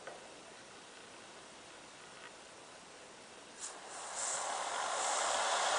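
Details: First stage of a multi-stage Tesla turbine kit, run alone with the second stage disconnected and fed by a standard air compressor: airy hiss swells as the air comes on and the rotor spins up smoothly, no rubbing or rattle. Normal spin-up.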